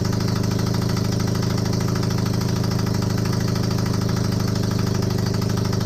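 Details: Honda CB250N Superdream twin project bike with new spark plugs, on partial choke, powered from another bike's battery. A steady, even low thump at about four pulses a second, with no knocks or misses. Normal idle; large front oil leak.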